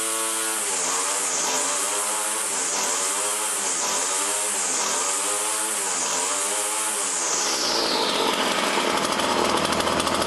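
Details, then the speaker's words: Poulan Model 117 two-stroke trimmer, stored about 3 years, after a tune-up and throttle cable adjustment: crisp buzz at a steady idle with only a slight rhythmic waver and no knocks. Clutch disengaged and spindle not turning; normal idle. "Spindle isn't turning. So the clutch is working well, everything works good."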